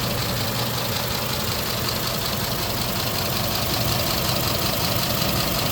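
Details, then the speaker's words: 2010 Ford F250 XL idling after 40+ minutes: loud, clattery, diesel-like knock about 160 a minute, louder than normal, no smoke and it drives; seller suspects lack of lubrication or need for an oil change. "the motor is good it's not blowing smoke it does drive but it's just a little louder than my normal standard"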